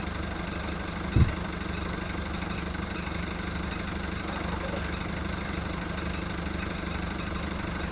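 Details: VW Golf mk1 1.9 TD diesel just started after 5 months winter storage: cold diesel clattering at low steady idle with faint unevenness and one brief thump; rough idle while warming up.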